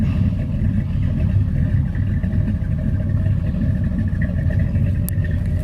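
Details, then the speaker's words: Old rusty truck on a cold start in a Central Florida January: deep, uneven loping idle at about two to three pulses a second. This comes from a cheap Summit aftermarket cam with closed-chamber heads raising the compression. "thank you this whole thing it's got just old cheap so the cheapo summit cam got a little funk to it"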